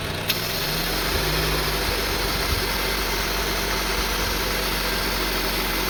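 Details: 2002 Honda CR-V 2.4 L with rough idle and RPM hunting; with the unplugged sensor disconnected, the engine holds a fast, smooth, steady idle with no hunting, and a check engine light comes on.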